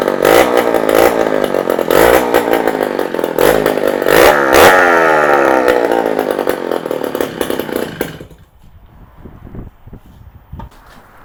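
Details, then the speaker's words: 48-year-old Yamaha DT100 100cc two-stroke with exhaust removed: raspy blips climb freely and crisply, idle still too high; confirms restriction is in the exhaust, where a welded-in piece must be removed and replaced with something free-flowing. "definitely the exhaust so we've got to do is take that to a fabricator have the piece that someone's welded in the back of it taken out and replaced with something that's free-flowing"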